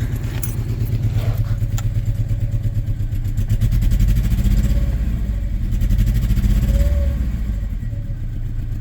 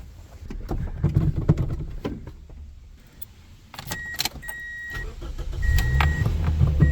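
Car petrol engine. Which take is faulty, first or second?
first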